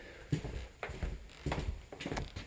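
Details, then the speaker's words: Floor near wall after squeaks fixed by drilling holes and screwing down into the wall plate, walked over: dull solid footstep thuds about every half second with no squeak or creak; floor now quiet. "added two more holes over here and got those screwed down and I don't think they're making sound anymore"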